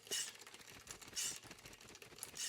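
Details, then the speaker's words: Disc brake rub on a LightCarbon carbon all-road bike with L-TWOO ER7 groupset, rotors 1.86 mm vs Shimano 1.8 mm; light hissing scrape swelling about once a second as the wheel turns, recurring despite re-truing rotors and resetting caliper pistons. "I mean, it's not like a massive problem, but it was really annoying, so I had a lot disc brake rub. Can you hear that?"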